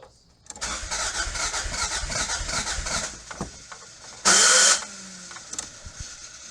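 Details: 1986 Toyota MR2 AW11 salvage car after fuel tank replacement, still not getting fuel to the engine: starter cranks about two and a half seconds with rapid even chatter, engine never catches; cranking, no start.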